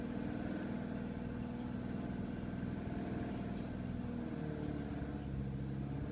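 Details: BMW 318i E91 with N43B20 engine at cold start: steady idle drone with a faint irregular ticking on top; abnormal noise on cold start, cause unknown.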